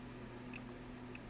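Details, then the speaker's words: ALR PowerFlex 386 PC motherboard with corrosion damage, after a trace repair and the 8042 chip was refitted: single high beep over a low hum, post code looping, no boot; a component is possibly dead. "we're back to where we were before it's just running through the same code over and over again not sure what's dying but something is"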